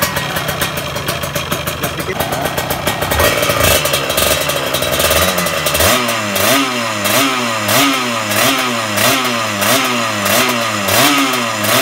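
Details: Kawasaki Ninja 150 two-stroke with RM85 racing magneto, new balancer bearing, PWK 28 carb, main jet 152, pilot jet raised about 4 steps: crisp ringing quick even blips about every half second, picks up cleanly; normal revving.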